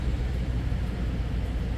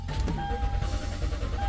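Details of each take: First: 2013 Toyota Sequoia idling after no-start fixed by restoring power at the connector, jumper fuse fitted; steady even low rumble, no misses, knocks or ticks. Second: 2013 Toyota Sequoia with lost communication with ECM/PCM, cluster not turning on; fuel pump, cam and crank sensors and relays already replaced, no power at 10 A ignition fuse; starter churns steadily, faint chime, never fires.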